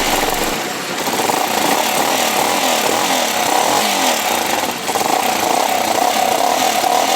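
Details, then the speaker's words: New Jector motorcycle after its exhaust pipe was replaced: small revs into a steady buzzing run with a softer exhaust note than the louder original pipe, and no rattles or misfires. It runs normally. "Y con el nuevo cambio de tubo, amigos, que le hemos hecho, tiene un sonido más suave, miren."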